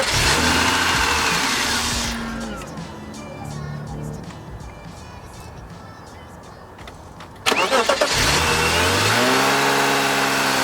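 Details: 1998 or 1999 BMW E36 M3 convertible, 160,000 miles, cold petrol engine starts and dies, then is held near 2000 rpm to stay running until warm; blamed on a gunked-up idle control valve, later cleaned.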